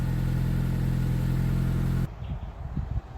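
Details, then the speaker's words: 1989 Nissan Sunny N13 at idle: a deep, loud low rumble with a steady throb, then cut off; exhaust blowing through one or likely several holes in the old, previously repaired system. "Yeah, there's a hole in there, for sure. There's probably several holes in it."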